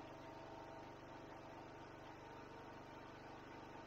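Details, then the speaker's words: Ryobi 2500 W generator, stored about 12 months, loaded with a 400 W pump, 400 W lamp and 2200-2300 W vacuum, metered about 2680 W: deep, uneven labouring beat around 200 a minute, engine held down; generator overload. "so we got the two 680 and as you can hear it was really really struggling pretty much right on the money for what it says"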